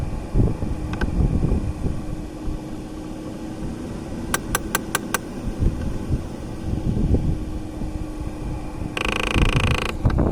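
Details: Audi A6 C5 Climatronic: four quick evenly spaced ticks over steady fan and cabin hum from the V71 air flow flap motor; cause unconfirmed.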